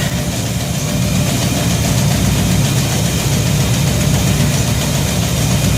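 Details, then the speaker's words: Shop truck holds a smooth, even idle with no misses, knocks or surges after a fuel system overhaul (fuel pump, regulator, filters, intake gasket, carb spacer; 3.5 psi fuel pressure); no leaks, and it runs pretty good. "Got no gas leaks, got no water leaks. Runs pretty good."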